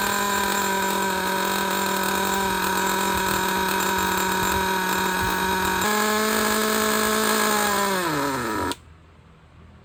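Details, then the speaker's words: Used Traxxas Jato nitro 2.5 RC engine after opening the idle gap and adjusting low-side fuel: high steady buzz at even pitch, no sputter, then winds down smoothly; running good, no air leaks. "right we we don't need to listen to this one anymore this one is running good no air leaks"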